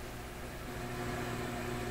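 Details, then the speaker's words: McIntosh MR71 tube FM receiver with a short wire as antenna, played through the shop stereo before tube testing: a constant low hum under steady hiss with no change in pitch; audio hum of unknown source, front-end fault suspected. "it's got a big W and hum in it okay not to sweat not to panic let us tune around"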